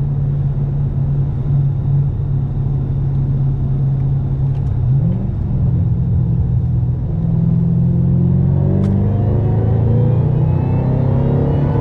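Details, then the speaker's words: Deep, steady engine roar climbing smoothly through a third-gear pull, windows up, in a supercharged 2010 Mustang GT500 after work on its low-boost problem; boost now holds at 8 psi versus 5–6 before, though the fix isn't confirmed complete. "And I'm consistently seeing 8 PSI on the boost gauge, so, man. I don't know if the problem is solved completely, but we're definitely seeing more boost."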